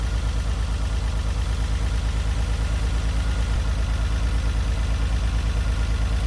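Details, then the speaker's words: Long-stored Renault Alpine GTA Turbo: uneven, lumpy idle with a steady thump, one cylinder not pulling and vibrating a lot. 12 V was applied directly to the injector to try to wake it; the ECU or the cylinder was also suspected. It then revved better with less vibration. "So either just woke it up, or the ECU's not telling it to fire maybe, or the cylinder's dead."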